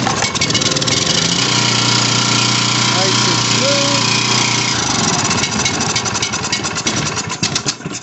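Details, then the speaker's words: Coleman Powermate 1850 W generator (model PM0401855) after carburetor repair: catches and runs at a steady, even buzz with no misses, then dies as it's choked off because the on/off switch isn't working; runs perfectly. "usually you just shut it off but it runs perfect we're happy with that"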